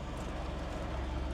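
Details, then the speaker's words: Holden VN Commodore bought from a scrap yard after sitting a while, first start: low, even idle pulse with steady rhythm, no ticking or misses; sounds right, normal idle. "That started. Hey, it sounds right. Sounds good."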